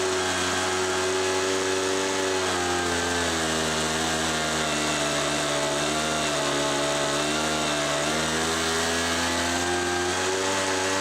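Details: Homelite MightyLite 26b leaf blower (UT08520), warmed up after two carburetor repair kits and mixture-screw adjustment. Even, high buzzing drone with only small brief dips; the repair succeeded and it runs normally.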